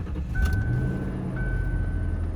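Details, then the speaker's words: 1998 Lincoln Mark VIII, always run on Mobil 1, stone-cold start: low, steady, smooth idle with no timing chain slap, ticking or knocking. Normal cold start idle. "no time change slap no knocks as you can see it's on cold"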